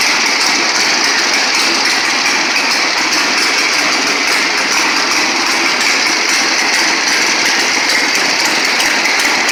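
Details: 1960 Harley-Davidson Sportster Ironhead, unused since 2010, running after magneto points/condenser check, carb service, fuel flush with fresh gas, timing and points set: busy, crackly mechanical chatter with steady even beat, no misses or stumbles; normal idle.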